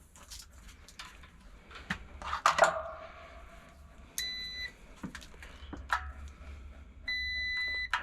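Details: Kobalt 220 V air compressor that wouldn't turn on: two clean half-second multimeter beeps amid handling clicks testing the new pressure switch for continuity; contacts close properly, old pressure switch was the fault.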